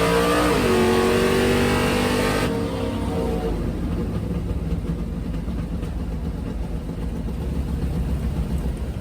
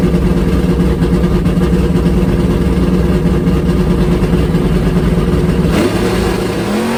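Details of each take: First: Drag race car on a full-throttle pass: hard pull suddenly drops off about 2.5 seconds in, then runs rough and uneven; a cylinder was lost, a dead hole, with rough running after. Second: Drag car V8 on a swapped-back older carburetor after the other carb surged as if fuel-starved, full-throttle pass at the drag strip: strong, steady pull with smoothly rising revs, no stumble or surge, clean carburetion under full load; normal full-throttle run.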